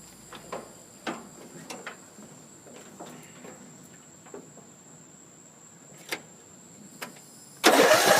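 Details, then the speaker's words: Troy-Bilt Pony riding mower, 42-inch cut, hydrostatic, Briggs & Stratton 17.5 hp I/C engine 31C707, freshly charged battery: light clicks, then hard cranking with no firing. Owner unsure whether it is fuel or spark. Crank, no start. "So nothing. I don't know if it's a fuel issue or if we don't have spark."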